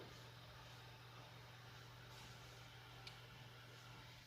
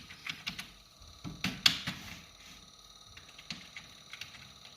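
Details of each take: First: Noisy desktop PC after rerouting the power supply cable (likely 24-pin connector) that was touching the fan: only a faint low hum and soft airflow, no ticking or scraping; fan now quiet. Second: Noisy PC, fan blades striking the power supply's probable 24-pin cable after assembly: quick, light ticking over a faint fan whirr; silent once the cable was moved.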